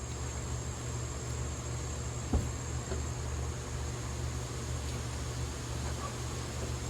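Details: Ford F-150 just after an AC compressor replacement, with the belt reinstalled, no refrigerant, and the compressor clutch pigtail left unplugged. Low, even idle hum with no knocks, squeal or belt chirp, apart from one brief handling thump. Sounds smooth.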